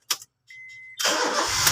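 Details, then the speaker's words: Honda Jazz, previously hard starting, after spark plug replacement: a chime, then a brief crank and the engine catches at once and settles to a steady idle. Normal start. "guys ah one click na itong pinalitan natin ng ah spark plug"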